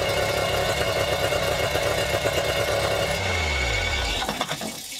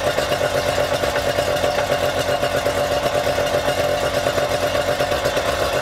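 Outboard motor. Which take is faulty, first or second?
first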